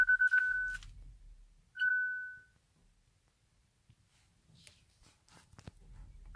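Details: Hyundai Ioniq Electric won't start, brakes problem shown, key not detected, start tried by pressing the key on the start button; a few short clear chimes at one pitch with long gaps, warning as it refuses to start.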